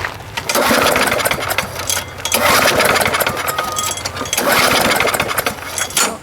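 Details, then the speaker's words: Lawn mower no-start, before repair: repeated pull-cord cranking bursts with only brief catches, never running; no spark, plug wet with gas and possibly dirty. "all right let's see what happens here i'll give her a couple of shots that seem to be working [Applause] here uh got no spark whoa geez"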